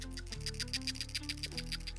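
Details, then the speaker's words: Old PCV valve removed from a 4th gen 4Runner / 2nd gen Tacoma, shaken by the mic: quick crisp rattling ticks about eight a second over music; check ball moves freely, so the valve is still good. "You should hear the ball rattling in there. If you do, it's good."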